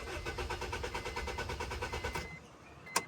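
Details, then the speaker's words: Honda CR-V RD1 with a newly spliced kill switch in the off position cutting fuel: starter churns about three beats a second for two seconds, engine never catches, then a click; no start as intended. "Alright, so I have it in the off position right now. Keys in. The car shouldn't start."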